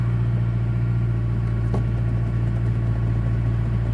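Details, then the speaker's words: Stock 2009 Mazdaspeed3, parked about two years, with prior slight knock and rough idle, just after new spark plugs: steady, even idle hum sitting slightly high, no knocking or misfire, running much smoother than before. "a little high that sounds way better yeah there was no knocking at idle this critical idling sound"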